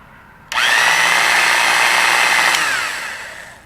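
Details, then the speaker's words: Porter-Cable model 2621 3/8" electric drill, rated 2250 RPM, found in a junk pile and run for the first time: steady high whine that sags as it winds down, stiff and slower than rated; owner suspects hardened grease inside, needs cleaning and relubrication. "It seems okay. It sounds like it needs a little lubrication in there."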